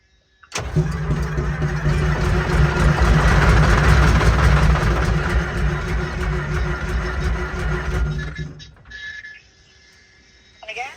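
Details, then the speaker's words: Oshkosh P-15 crash tender, Detroit diesel, long unstarted, in neutral, air intake off: steady starter churn about four beats a second for seven seconds, never firing; fuel pump not pumping, fuel filter suspected clogged like porridge, not confirmed. "so the fuel pump doesn't seem to be fuel pumping. And I'm guessing that this filter is absolutely clogged, which is what it's looking like. Like porridge. That's probably why it ain't starting."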